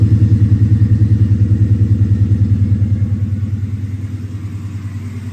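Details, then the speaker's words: 2010 Charger R/T engine newly swapped into a 2011 Charger with long-tube headers and 6.4 intake, restarted: even engine beat with a steady slap about three times a second, fading out as the serpentine belt self-destructs. "uh my belt finally did completely self-destruct did not hold up didn't think it would but I was hoping to get some coolant just running through it real quick"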